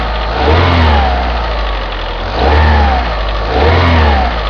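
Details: Opel Astra G X16XEL after cold start, revved three times from idle at low rpm: faint light ticking that follows the revs; mechanics suspect valve lifter wear on the right side, owner suspects cambelt tensioner roller on the left; source unclear.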